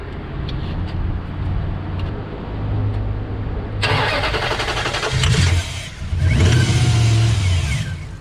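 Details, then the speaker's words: 2004 Dodge Ram 1500 4x4, 4.7 V8, towed in with crank-no-start and no codes: starting fluid sprayed into throttle body, it cranks, catches and runs rough briefly then dies, so spark present, fuel missing; turned out to be a bad fuel pump. "okay so it did start with the starting fluid for a little bit so we know it's not a spark issue so we definitely have something going on with the lack of fuel sold"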